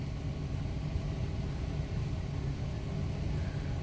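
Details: Mercedes W126 V8 just after DIY ignition coil replacement, first start: low, even idle rumble with steady beat, no stumbles or skips; runs smoothly with no misfire yet.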